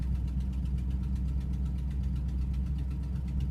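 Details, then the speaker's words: Monaco petrol engine cold-started after about 2 weeks sitting, cold morning: quick light ticking at idle from an exhaust leak, calming down as it warms. "which is the exhaust. Once it warms up, it calms down a little bit."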